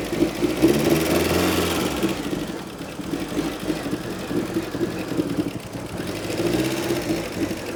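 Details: Rare 1980s Fiat Croma Turbo, revived after over 6 years dormant; the MAP sensor was suspected of causing stalling and was cleaned. Engine swells and dips through a few blips, then holds a steady idle on its own without stalling; normal idle.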